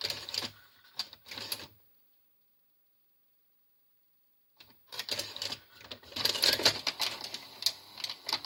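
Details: Grandin 2-head multi-standard VCR, model 97, with a cassette inserted: stop-start clicking and whirring in bursts with dead pauses as the mechanism hunts erratically; mode switch problem suspected, with a cassette insertion fault.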